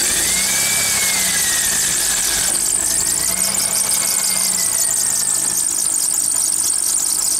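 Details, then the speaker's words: Car running with a wet serpentine belt, before cornstarch is applied: a high, wavering squeal rising and falling over a quiet engine. Water dries out the belt and makes it squeal as it slips on the pulleys. "Como ven ya tenemos el carro prendido, aquí esta la banda, la banda cuando le entra agua empieza hacer ese rechinido. Se reseca."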